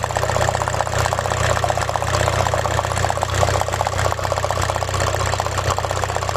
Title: P1666, P0301 cylinder misfire, electrical error, engine rough idle shaking/ rateu tremura la ralanti